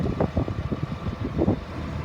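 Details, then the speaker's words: 2003 Blue Bird All American 72-passenger school bus, diesel, miles unknown, run for almost an hour: low even rumble at idle with some uneven pulsing likely from wind; idles smooth, revs up nice, automatic transmission engages; normal idle. "It idles smooth, revs up nice. The automatic transmission engages."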